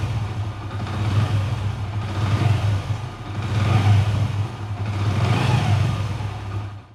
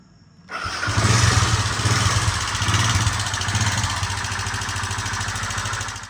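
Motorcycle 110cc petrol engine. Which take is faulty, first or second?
second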